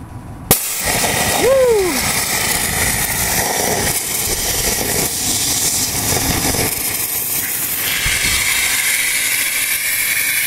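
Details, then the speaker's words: Hardware-store steam scooter monotube boiler with Arduino-controlled water pump: release valve popped, pressure builds quickly, then a sharp pop and steady roaring hiss as the burner flame lights and holds; burner ignition normal. "let's pop the release valve and the pressure will start to build very very quickly because it is a monot tube and then any second now you can hear the flame the Flames turn on"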